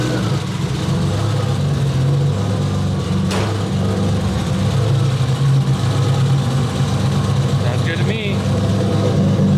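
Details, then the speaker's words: BMW E30 at idle after valve clearance adjustment with feeler gauge, long undriven: even, settled idle with steady low hum and no ticking, knocking or rattles; valvetrain quiet and healthy. Normal running. "Since it's all buttoned up, let's go ahead and fire her up. Make sure you don't hear any weird noises or anything like that."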